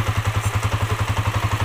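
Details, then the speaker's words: Honda TMX155 whose breather hose smoked from oil burning when hot; now rebuilt with a new piston set, rings, valves and gaskets. A steady, even single-cylinder thump at about nine pulses a second, no ticking, very quiet. A normal idle. "Binuksan ang dami palang sira yun mga sirr Okay na itong TMX napakatahimik"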